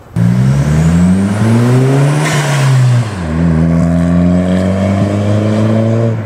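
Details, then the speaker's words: Turbo Audi with newly installed ECS intake, heard from outside window while driving: hard pull through gear change, thin rising turbo whistle, puff on lift-off; spool and wastegate now audible unlike stock intake; normal turbo spool and wastegate noise. "That sounds nice, dude. You hear the wastegate, you hear the spool. You didn't hear any of that with the stock intake on."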